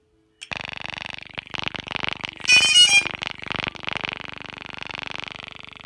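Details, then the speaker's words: Brand-new DJI Phantom 3 Professional after tightening the loose gimbal arm screw: high, buzzing gimbal motor tones pulse evenly at power-up with a short startup chime, no grinding; normal gimbal power-up. "look so good now no no grinding away and they're steady"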